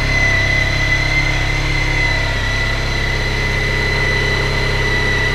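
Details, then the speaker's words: Honda ST1300 on stock exhaust, still cold, fast idle at about 2000 RPM: smooth, even hum with no knocks or misses; normal cold fast idle. "As you can probably hear, it's still a bit cold, so it's revving a bit high."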